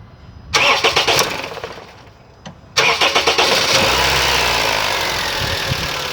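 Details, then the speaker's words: Honda Civic petrol engine on start-up: it cranks, catches and settles into an idle with a light, fast, diesel-like ticking clatter from the valve tappets, which need adjustment under the valve cover to quiet them. "Tem que arrancar essa tampa se você for fazer a junta do tucho, e a gente tem que regular os tuchos para amenizar esse barulhinho e ficar silencioso, tá?"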